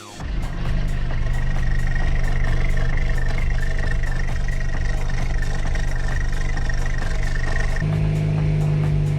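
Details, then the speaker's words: 2010 Mazda 6 GH after exhaust bolt and seal kit replacement, idling: sharp regular ticking about two per second over steady idle; exhaust leak at the joint gap, needs further tightening. "We have a leak. I hear it right here. There's a leak. This is coming off from here. And here we have exhaust fumes coming out."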